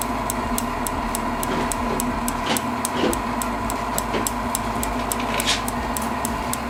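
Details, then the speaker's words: Propane shop heater modified with a fan dimmer and propane regulator, gas turned low: crisp, even piezo igniter ticking about four per second over the steady burner and fan roar; the igniter now clicks continuously. "you can still hear that clicking from the piezo but that piezo will be on all the time now"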